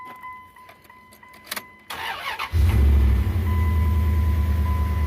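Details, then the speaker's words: 2001 Dodge Ram 1500 4x4 V8 after tightening loose exhaust manifold bolts: starter whirs, engine catches quickly and settles to an even, smooth idle; previous ticking and spitting exhaust leak gone, check-engine light still on. "All that ticking, spitting shit's gone."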